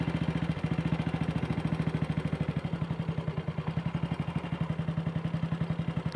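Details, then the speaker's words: Single-cylinder bike with Wassell Evolution (Amal Concentric Mk 1 type) carb, after refitting a dislodged, twisted needle clip that caused misfiring: even, clean idle slightly fast; owner may adjust the throttle stop screw. "kickover still a bit fast, but I might need to adjust the throttle stop screw."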